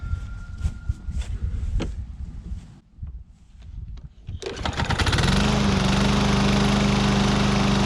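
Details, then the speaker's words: Husqvarna AWD mower with Briggs & Stratton 625EX engine, cold after sitting a couple hours, little fuel in tank: fires on the pull and settles into steady, even run with no misses; normal cold start. "Well, it's been sitting for a couple hours now, and I just wanted to get another cold start on it. So we are totally cold."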